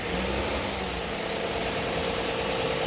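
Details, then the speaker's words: Chevy Silverado V6 held at about 2,500 rpm while Seafoam is sprayed into the throttle body: steady, even drone and airy hiss, no misfire, barely any ticks or noises, no smoke from the tailpipe; solid, healthy motor. "And this engine, I mean, it's a V6. There's barely any ticks coming out of it, any noises. Seems like a pretty solid motor."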